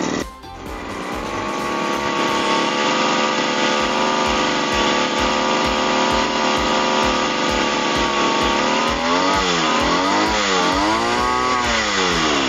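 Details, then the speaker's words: Lawnmower that would not start and made strange noises, after servicing; the likely cause was a heavily carboned spark plug. It starts and holds a steady, even drone that rises and falls smoothly with the throttle, running normally. "Oke, jadi saya sudah mencobanya dan aman untuk digunakan lagi."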